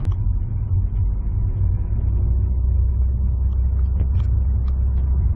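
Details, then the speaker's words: 2019 Honda Accord: with the pedal floored, a deep steady engine drone that never climbs, idling without accelerating, then it suddenly grabs and takes off. Loss of power under full throttle, cause unconfirmed. "you can push the pedal all the way to the floor and it will not accelerate and then all of a sudden it'll just grab hold and take off"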